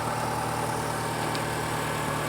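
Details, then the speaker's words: Toyota RAV4 after the steering fix, idling with the clamps removed: steady low hum with no knocks, misses or squeals; 14.08 V while running, the battery is weak and the alternator will have to charge it. Normal idle. "We have 14.08 volts while the engine is running. So this is good."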